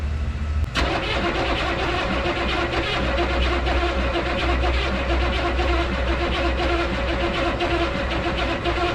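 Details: 1986 Chevrolet one-ton dually with swapped-in 6.2 L Detroit diesel, sat 22 years: steady starter cranking with a low rumble, engine starts but immediately shuts off. Shutoff solenoid works and it's getting fuel; cause unknown.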